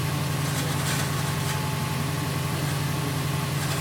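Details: 2008 Subaru WRX at cold morning idle: low droning rattle with an uneven rough beat over the engine, heard only when cold, gone with the clutch pressed and loud when feathering the clutch; cause unknown.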